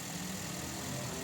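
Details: Toyota Vios after oil change with engine flush: short stretch of quiet, steady idle with a smooth low hum, no ticking; the earlier ticking (lagitik) has disappeared and the engine sounds healthy.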